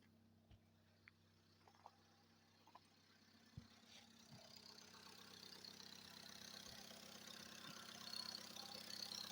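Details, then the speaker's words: Engine recorded at exhaust and in cabin after repair, quiet with no knocks when cold: as it warms and is revved, scattered sharp ticks thicken into rough rising clatter with vibrations, pressure high, no check light; cause not yet found. "Так, постепенно начинает тарабанить. Чек не горит. Даже здесь в кабине слышно."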